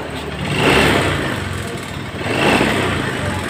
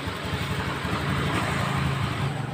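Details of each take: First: 2015 Honda Scoopy scooter engine very rough: coarse mechanical clatter swells with each rev; mechanic suspects the piston. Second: 2015 Honda Scoopy scooter after replacing the piston and honing the cylinder scored by oil starvation: even, steady engine note with no knocking or rattle; the earlier roughness is gone.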